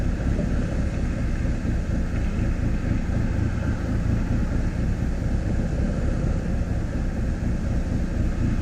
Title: Rough idle